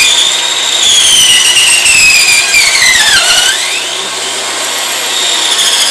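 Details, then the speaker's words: Sawing a tree branch for pen blanks: loud high squeal slides down then climbs as the cut proceeds; the blade binds as the branch's internal growth stresses pinch it. "You can see that it bound on the blade. You could hear it squealing when those internal stresses were getting at it."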